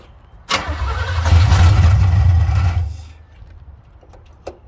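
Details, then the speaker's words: 1970 Chevy C10 V8, running poorly: starter spins steadily about two seconds with no firing, then stops; cranks but won't start, completely out of gas. "completely out of gas well that'll do it"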